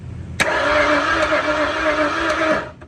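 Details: 1968 Ford Mustang engine freshly installed, battery just hooked up, first spin before setting number one and installing the distributor: a steady starter whir turns the engine evenly for about two seconds with no binding, so it spins freely.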